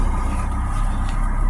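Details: Recently bought 2008 PT Cruiser at idle, with a code reader showing P0301, cylinder 1 misfire detected. Low, uneven idle rumble with a lumpy, unsteady beat as one cylinder drops out. Cylinder 1 misfire.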